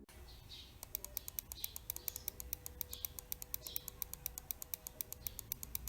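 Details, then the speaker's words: Mouse after replacing the switch to fix double-clicking: crisp, evenly spaced clicks; it feels snappier and sounds different, and the double-click issue is resolved. "the one thing I would say about this switch over the original is that this one feels a bit snappier the clicking sound is also different on the Japanese switch versus the Chinese switch"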